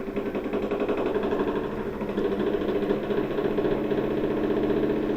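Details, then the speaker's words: LG washer in diagnostic mode high-speed spin: harsh, rough droning whirr with steady pulsing roughness during the spin; worn drum shaft and bearing, shaft and inner tub need replacing. "this machine is making a harsh noise on the spin however this means that the shaft and the inner tub would need to be replaced"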